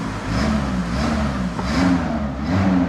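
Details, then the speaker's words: VW T4 Caravelle Syncro engine after major overhaul, warming up, power steering just bled: revs rise and fall cleanly with throttle, no knocks or misses; gas pedal feels good, running normally, no leaks. "I think anything running normal. Gas pedal feels good."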